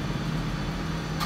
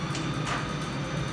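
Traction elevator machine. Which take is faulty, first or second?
first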